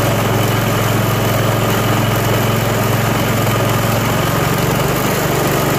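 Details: Self-propelled lawn mower, first spring start after winter storage and tune-up (oil, spark plug, Seafoam), cold at about 40°F on choke: single cylinder putters at a slow, even cold idle with no misfires or rattles; normal idle.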